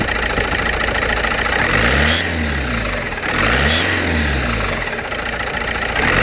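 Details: VW Passat B5.5 1.9 TDI diesel idling and blipped after sitting a month without oil and an oil pan change: fast, loud ticking under the clatter; lifters and cam seem fine, revving to 2500–3000 rpm didn't help; cause unknown.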